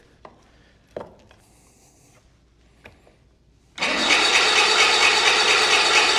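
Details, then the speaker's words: 1985 Bass Tracker outboard motor, sat for years, fuel confirmed: light clicks then steady fast starter whirring that never fires; owner suspects no spark, possibly bad connectors – cranks but will not start. "That is not good, guys. Don't sound like we're getting spark. I know we're getting fuel."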